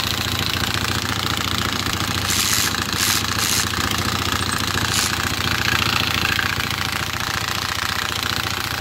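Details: 2020 Hawk DLX 250cc EFI motorcycle at 439 miles, idling: busy metallic rattle at about three or four ticks a second, traced to the centrifugal oil filter nut backing off; metal found in the oil.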